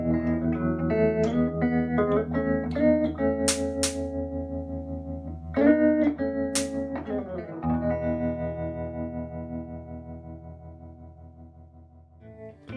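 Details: Early-60s Davoli D531T valve amp after its whole tremolo circuit was replaced, the tremolo having not worked before; guitar notes pulse in volume at about three beats per second: tremolo now working.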